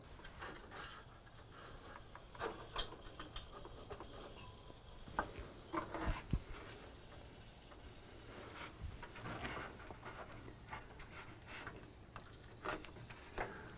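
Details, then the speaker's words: Ford F100 radiator and cooling system under a pressure test: a faint, irregular sizzle like frying bacon as pressure escapes at a hose that isn't tightening enough. Coolant pressure leak at a loose hose. "now this is why you do a pressure test i can hear a sizzling noise sounds like bacon right it's actually the hose is loose on here it's not tightening up enough so it's not going to hold pressure"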